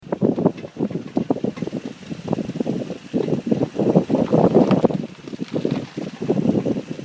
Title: Creaking Brake noise on G37x (#2)